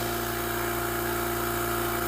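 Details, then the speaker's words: Oil-lubricated Apollo dental compressor pumping up to pressure: steady even hum, constant pitch, no knocks or rattles; normal, quiet running. "We'll watch this guy go all the way up to pressure and see what a normal sounding compressor sounds like. You'll notice just how nice and quiet the compressor is."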